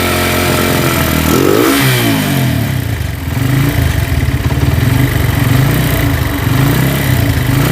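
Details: Cold Honda Tiger single that smokes when cold and lacks power: revs, then a rough idle with clattery ticking from the cylinder head. It sounds like a scratched or slapping piston, but loose rocker arms are the cause.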